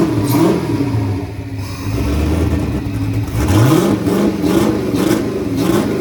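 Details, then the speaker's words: Turbocharged Chevy S10 after fire-up, with the idle screw readjusted following an odd start: the engine blips up and settles back several times with a clean rising and falling note and no knock; runs healthy. "think I adjusted the idle screw there last time and kind of threw the the iak and the idle way off so it kind of started weird but after I adjusted that back it seemed to be all right"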